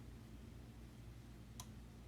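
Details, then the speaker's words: Chrysler Town & Country horn toggled on/off via scan tool bidirectional test: relay clicks in fuse box over quiet hum but no horn sounds; circuit good, both horns defective and to be replaced. "Actually, I can hear the relay clicking inside the fuse box. Listen, on, off, on, off. So that's good, guys. This tells me that our problem is the horn itself. Okay, the circuit is good, the problem is a defective horn."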